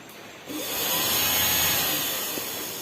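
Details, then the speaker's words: Yamaha Vixion radiator fan jumpered directly at the relay wiring with the ignition off: the small electric fan whirs up to speed in about a second and holds an even, airy hiss. The fan works normally. "teman-teman jadi kipas ini berfungsi yang masih aktif"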